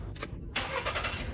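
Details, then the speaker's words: Engine starts at once after a short crank and settles into an even idle; car previously wouldn't start and consumed too much fuel despite throttle cleaning, new spark plug, ignition coil and fuel pump; now fixed, normal start. "Wow, it's on."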